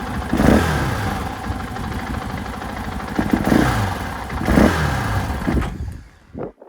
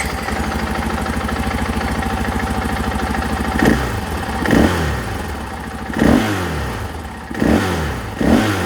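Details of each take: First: 2024 KTM 500 XW-F on stock ECU and stock emissions setup: engine barks up on each throttle blip but stutters and falls flat before catching, then dies; a stumble off idle, flames out easily when the throttle is whacked. Vortex ECU is the planned fix. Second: 2024 KTM 500 XW-F with Vortex ECU installed and stock emissions parts: steady thumping idle, then five sharp throttle blips rising and falling cleanly, very responsive. Normal throttle response.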